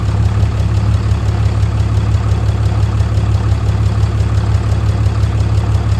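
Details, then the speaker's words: 6.7L fourth-gen diesel at idle just after a DIY valve adjustment: deep, steady clatter with no misses, knocks or valve ticks. It runs healthy, though the turbo actuator and grid heater still need fixing. "Now, after I finished and I went and did a test run out on the highway and opened her up a little bit, it seemed to run really good."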